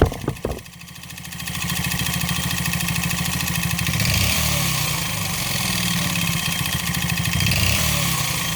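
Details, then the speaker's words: 139QMB 50cc scooter single, piston skirt deliberately ground short for large clearance, idling with a hollow rapping knock in time with the engine: piston slap, audible only at idle, vanishing with slight throttle. "Słyszeliście jak Piston Slap brzmi On brzmi tylko na wolnych obrotach jak dodacie lekko gazu i później już tłok tak szybko zasuwa że nie jesteście w stanie wychwycić tego brzmienia"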